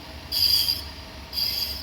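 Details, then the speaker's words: Car driving at 30–40 speed: a high-pitched squeal pulsing about once a second with wheel rotation from the disc side, as the worn brake pad's wear indicator scrapes the rotor. "और ऐसा लगता है जैसे कोई चीज साथ जो है वह अल्टीमेटली जो है व साथ लग रही जिस वजह से जो है वह इस तरह की जो है नर्मल क्रिएट हो रही है य साइड से आ रही है"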